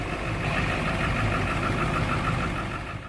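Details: High-mileage turbo diesel, cold, with a lumpy, uneven idle clatter at about four beats a second; dead glow plugs and water in the fuel were found, along with an exhaust back-pressure valve stuck closed.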